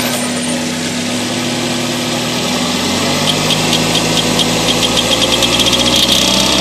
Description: This is my 2000 Toyota Corolla and it started making this ticking sound after the oxygen sensors and the engine coolant temperature sensors were replaced.